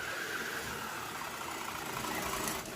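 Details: STX Kanyon RC car gearbox, bench-tested after teardown and reassembly to fix stripping and grinding noises: smooth, steady motor whine with an even gear hum, clicking gone, no skipping; normal gearbox running.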